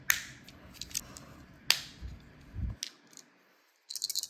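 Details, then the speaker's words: Honda key fob after a shell replacement: light plastic clicks, then a burst of tiny rattles when shaken as the transponder moves inside. Loose transponder rattle, fixable with electrical tape or the longer screw. "you can hear the transponder rattling around there. You could put some electrical tape around it, or something like that, to make it stop rattling."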